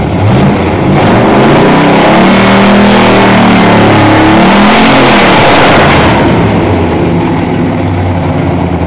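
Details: 1987 Toyota Supra MKIII with swapped 350 Chevrolet Vortec V8 and 700R4, restarted after rebuild with distributor cap corrected 180° and valve lash reset, open unwelded exhaust: loud burble climbing smoothly through a long rev and easing back, firing evenly; normal running and revving.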